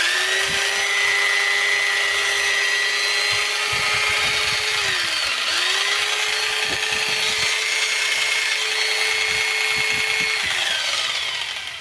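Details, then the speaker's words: Makita 4329 jigsaw after gearbox repair with new parts: high motor whine rises, holds and drops twice, light clicks, no gear knocking; not perfectly quiet but much quieter than before. "сказать что идеально Тихо но намного тише сейчас"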